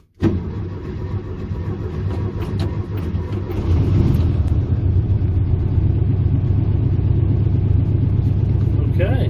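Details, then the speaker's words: A 1971 VW Beetle with an air-cooled engine, sitting three years, gets a new carburetor and fuel rods and relies on its fuel pump. It starts straight up and settles into an even, low, steady thrum that firms slightly, running cleanly without stumbling. "grandma be happy it does run it starts right up right"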